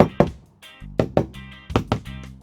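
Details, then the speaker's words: Tartan 27 sailboat port bow deck sounding: knuckle taps alternate between a crisp ring and a dull dead thud over one patch, marking rotten wood deck core underneath. "There's rotted wood under here, all up here in this area, and then there's more here."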